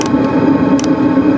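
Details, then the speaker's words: Original 'ultra quiet' Chinese diesel heater fuel pump in a Sprinter van, mounted right next to the exhaust. A few soft, light clicks tick over a steady low drone; the heater fuel pump is running normally. "I've still got the the original ultra quiet diesel Heater fuel pump fitted to my Sprinter this is what it currently sounds like granted it is right next to my exhaust"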